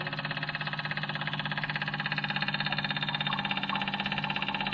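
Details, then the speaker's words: Machine with key on, engine not running, just after fuel filter and hydraulic filter change: steady electric buzz with a fast even pulse as fuel is visibly pumped through the system; normal fuel pump priming. "So I just turned the key to the on position, and you can hear it and you can see the fuel pumping through the system."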